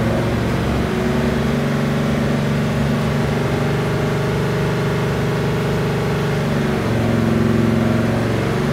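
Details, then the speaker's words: 383 LT1 (11.0:1 compression, LE2 aluminum heads, small LE 1.2 224/224/108 cam) on the dyno, full-throttle pull from 3500 rpm: loud even V8 roar, no misfire or knock; about 450 hp first pull, strong torque. "small cam is acting like it should had on the first pull 450 horsepower good torque"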